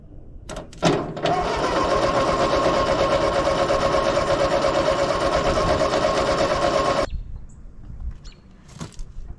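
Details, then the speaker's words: 80+ year old Ford 9N tractor: it started and ran well, then died; now steady starter cranking about three turns a second for six seconds without catching, apparently no spark though coil has power; coil suspected. "it started it ran it sounded pretty good and then uh it died out that last time and that won't restart it's like we lost spark somehow still have power to the coil though so i don't know what's going on"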